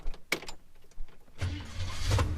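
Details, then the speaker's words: Holden HK Premier wagon V8 after installing an original V8 starter motor; a few light clicks, then a short clean crank and the V8 catches into a low steady rumble; no more high-torque squealing, starter engages smoothly. "I don't know if you can tell the difference. Oh, that is so much better. None of that high torque, stark squealing noise."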